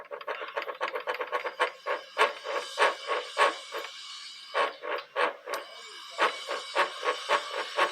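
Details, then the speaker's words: 2002–2003 KSZ motorcycle engine, clutch removed, shaft turned by hand: rough, gritty rasping in uneven bursts; worn gearbox shaft bearing, possibly from overdue oil with moisture, needs replacing. "só como ela já ronca aí nós vamos ter que abrir tá porque esse rolamento aqui tem que tirar para lá mesmo"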